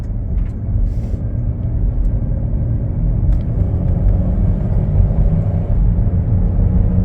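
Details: Car driving on road: deep constant drone through the cabin rising with speed, first suspected wheel bearing or tires; worn rear differential humming (transfer case also faulty).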